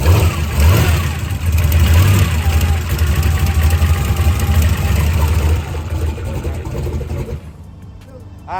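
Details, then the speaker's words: Turbo drag car with Black Sheep Industries 60mm wastegates, started after resetting the gap on a loose sensor held by two bolts: it catches and revs strongly for several seconds, then drops off. It fires cleanly with no misses or stumbles. "so we got fire so we're gonna go ahead and we've decided that we're gonna have to take this thing and calm it way down to get it to take off"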